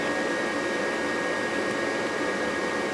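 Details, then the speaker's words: Rheem furnace at startup during sequence of operation: inducer motor running, pressure switch closed, pre-purge drawing leftover gas through heat exchanger and vent pipe; steady airy rush, no rattles, healthy. "let's not go through fifteen twenty second preper just kind of if there's anything from leftover gas leftover suck it up by the furnace through the heat exchanger up through the vent pipe"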